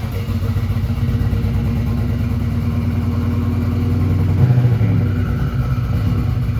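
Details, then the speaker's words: 1987 Buick Turbo T (Grand National) turbo V6 after 12 years, cold start with fuel line and filter redone: steady low rumble, even beat, no knocks or ticks; oil pressure mid-60s, alternator charging; idles smooth and healthy. "I'm so excited seeing this thing running and driving under its own power."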